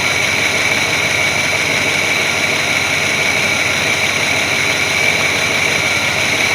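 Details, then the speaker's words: 1981 Chevrolet C30 dually ex-dump truck, sat 10 years, second start while warming up: steady, even idle with no stumbles or misses over a strong hiss, no smoke; slight lifter noise noted earlier; running smoothly. "running pretty smooth i don't feel any misses it's not puffing any smoke out so those are all good things"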